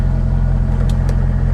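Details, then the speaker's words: Salvage-title C5 Corvette idling smooth and deep with no ticking or knocking while dash warns low oil pressure and gauge reads zero; engine healthy, failing oil pressure sensor/switch blamed, before replacement. "the engine is running and it's not making any nasty noises or anything else"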